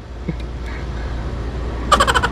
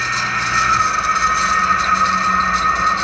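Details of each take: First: Window-type aircon condensing fan with newly replaced bearing, reinstalled in the unit: low, steady hum with no rattle or bearing growl; fan running normally and quiet. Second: Window-type aircon condensing fan motor, loose on the bench: steady high whine over a rough, scratchy rasp; noisy from a dry, worn fan motor bearing, to be replaced.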